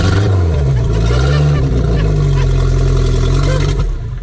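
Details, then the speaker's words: Volvo Penta AQ151C boat engine, first start in 10+ years on fresh fuel: deep full rumble rising with throttle blips then holding even, no miss or clatter; running healthy. "this sounds so good sounds beefy yeah sick"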